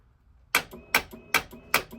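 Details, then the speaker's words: 2022 Kymco AK550 with a battery about 2 years old, reading 11.1 V after a year without a battery tender: four sharp dry clicks about 0.4 s apart and no cranking, the starter relay chattering on a low battery. "looks like my battery's dead I've gotten away with no battery tender for a year"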